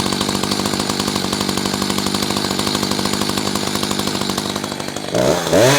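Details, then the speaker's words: Echo CS-590 chainsaw during carburetor tuning, cutting wood: rough pulsing drone, then labours and pitch sags in the cut, too lean with little torque; high-speed screw turned a quarter turn left, still bogging. "All right, did you hear that? That means she's too lean. We don't have enough torque."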